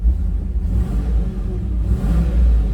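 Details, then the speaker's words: Land Rover Discovery II auction find, 4.0 V8 (2001 build, sold 2002), at idle: smooth, quiet, deep steady rumble with an even beat and no misses, knocks or ticks, and no smoke. A normal, healthy idle. "Nice and smooth. No smoke. Let's uh do a walk around while it's idling."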